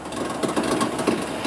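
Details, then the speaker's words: Laundromat machine running a cycle: rough, scraping rumble pulsing steadily with visible shaking; bad motor bearing wobbling inside, motor to be pulled and bearings replaced before windings burn. "It basically has a bad bearing inside it, and it's in there wobbling. It'll tear that motor up, so we gotta pull this one next too."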